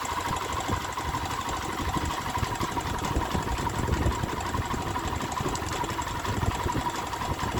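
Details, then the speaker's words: Honda Sonic 125 that would not start, with new carburettor flooding from dirt: fuel line replaced and fuel filter added, now it starts, cover left off to watch for flooding. Steady, even idle with no misses, knocks or hunting; normal idle. "ติดแล้วนะครับแต่นี่ผมยังไม่ได้ประกอบตัวนี้เพราะอะไรเพราะผมจะดูว่ามีน้ำมันท่วมหรือเปล่า"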